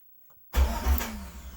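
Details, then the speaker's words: Chevy Silverado/GMC Sierra with a recurring starter problem, starter triggered through a jumper wire run from the cab to the lighter socket: solenoid clunk, then an even, brief crank with no grinding. Normal starter cranking. "okay so the starter engage is when I touch it to positive so I have a secondary method of activating the starter"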